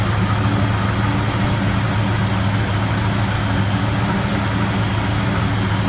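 Low, lumpy idle with an uneven, loping beat and no steady rhythm, a clearly rough-running engine at rest.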